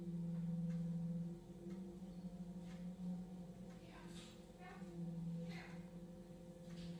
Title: Weird Noise coming from the drain